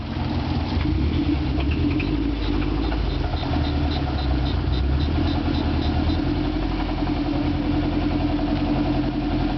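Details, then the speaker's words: Subaru after donuts: quick metallic knocking in time with the engine, deep in the block; rod knock, engine considered dead and later rebuilt with forged internals. "Rev your engine up a little bit. Not good. That's rod knock. She's dead."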